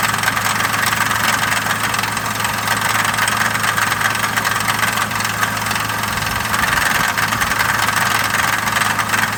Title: Engine knock?